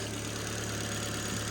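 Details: Ford Fiesta warming up to temperature; smooth even idle hum with no stumbles or missed beats, ticking over very nicely; normal idle.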